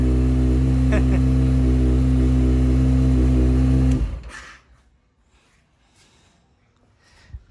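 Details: Kawasaki Ninja ZX-6R after a discharged battery was replaced: steady, even four-cylinder hum with a smooth low drone, then clean shutdown; bike runs fine.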